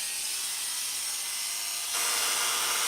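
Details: Hair clipper after blade sharpening and tightening the loose blade socket tabs: steady high-pitched buzz with smooth, even hum and no rattle; much quieter than before adjustment; normal running.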